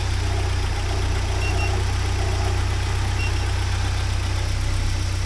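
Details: 1979 Porsche 924 idling warm after about half an hour, after fuel pressure (WUR) work, with pressure steady at a low 3.8 for 20 minutes, water 62–63°, radiator 53°; a low, even rumble holding steady speed with no misses or knocks; normal idle.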